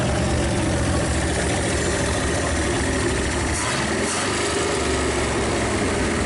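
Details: 1956 Studebaker Golden Hawk V8 running after revival on first start: loud, steady low idle rumble, slightly uneven, all cylinders, no knocks. Smoke is PB Blaster on the manifolds. Owner thinks it needs running-in and plans compression tests and a valve check.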